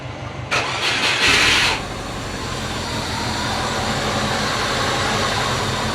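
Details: Subaru Forester after a no-start diagnosis (wet plugs; cam and crank signals, timing and plugs checked), battery charged, injectors re-enabled, fans disconnected: about a second of fast cranking, then it catches and settles into a smooth, steady idle; normal start.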